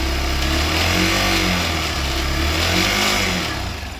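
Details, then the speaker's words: New Hero bike (about 4 days old, 197 km total) single-cylinder: busy mechanical clatter from inside the engine over the exhaust, rising with revs; internal engine noise, cause unknown, owner noticed it at delivery. "तो लगभग चार दिन में मेरे को इस bike में यह इशू आ रहा है कि इसके इंजन के अंदर से नॉइस आ रही है"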